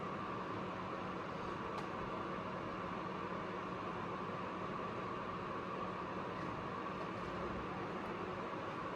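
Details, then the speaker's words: APC UPS after load cut to half, 600 W: overload cleared, continuous overload beep stopped; only a steady even hum and faint fan hiss, running normally. "Load आधा कर दिया है, 600 वाट। Overload ख़त्म हो गया। Beep भी ख़त्म हो गया।"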